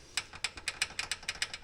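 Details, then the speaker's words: Polaris Ranger 570 SP Premium, rear wheel turning in neutral: sharp light metallic ticks about six or seven a second from loose rear brake pads clicking against the rotor. Planned fix is springs pushing the pads away from the rotor, after needless axle replacement. "when they're running hear that this is the sound that we were picking up"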